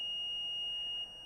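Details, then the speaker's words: iPhone 6 with no backlight, probed on the board: a steady high continuity beep of about one second shows a dead short on a backlight circuit part, which needs replacing in a full backlight rebuild. "you can hear that there. That is a dead short. So we found the culprit."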